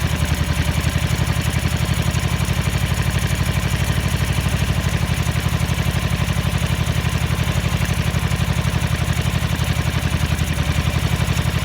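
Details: 1983 Ducati MHR bevel-drive twin, 40mm Dellorto carburettors during balancing at relatively high idle: lumpy, loping idle with irregular beats about four per second, as if running on one cylinder; carbs out of balance.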